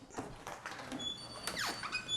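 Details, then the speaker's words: Exterior door, about a year and a half old: thin, high-pitched chirps and a falling squeal as it swings, from dry, corroded hinges. It is fixed by lubricating the hinge pins. "if you can hear that it's an annoying squeak and it'll get worse over time but believe it or not this door is only a year and a half old"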